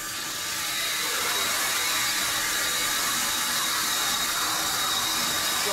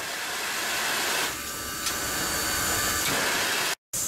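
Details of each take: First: Steam locomotive boiler injector on a successful start: steady, even rushing hiss with a faint high singing note that holds without breaking; the injector has picked up and is feeding water. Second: Grand Canyon steam locomotive boiler injector, unsuccessful start: steady loud hiss of steam blowing through and venting outside without stopping; the injector fails to pick up water.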